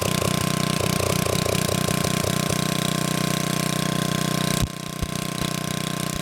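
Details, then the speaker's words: 1987 VoltMaster 4,000 W generator, 8 hp Briggs & Stratton flathead, about 34 years old. Once choke was sorted it runs smoothly: steady single-cylinder chug with a firm even beat, clean hum under load. "I then tried turning it on, and of course, it didn't like that. So once I figured it out, things started running better."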